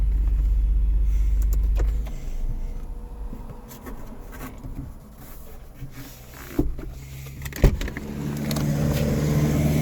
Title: gs350 2007 sunroof making clicking sound and not opening or closing, stuck at one point